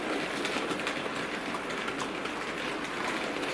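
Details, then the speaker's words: Older Bachmann 31-175 Jubilee Class locomotive "Hong Kong", with pickups only on the driving wheels and none in the tender, rolling slowly through a radius-two curved insulfrog point: soft even whir and light rail clicks, no stutter or squeal. Runs normally. "so I'm just letting it roll now we're going to bring it through a radius two curved Point onto a radius two was part of my track and see it's a breeze"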